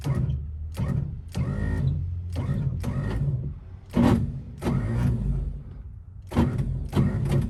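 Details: 1955 Chevy, owner suspects the starter; belt turned and starter tapped without help: several short uneven cranking bursts with pauses, starter struggling and not turning the engine properly; cause unconfirmed.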